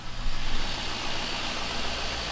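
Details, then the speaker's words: Chevrolet Silverado just after the forgotten mass air flow sensor was reconnected and fluids filled, started without touching the throttle: deep, steady idle holds on its own without surging or dying; normal idle. "Wow. Look at that. Truck runs great. It's idling by itself."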